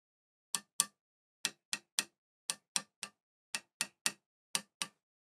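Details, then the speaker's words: Vox AC15C2 guitar amp after new output tubes fixed howling and microphonics: sharp taps on the chassis stop dead with no ringing tail; no microphonics. "nothing silent that's actually really quite good normally you'd expect a little bit of ring there but we ain't got none just excellent"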